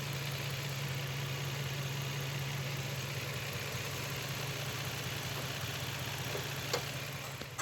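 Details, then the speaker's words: Nissan X-Trail V6 misfiring with poor pickup: uneven, stumbling idle with irregular low thumps and shake; coils checked on both banks, two clogged old-model injectors found under the intake manifold and replaced. "খোলার পর injector গুলা খুলে দেখলাম ইনজেক্টরের সমস্যা injector জাম হয়েছিল কাজ করতেছিল না দুইটা তো আমরা ইনজেক্টর গুলো চেঞ্জ করে দিচ্ছি"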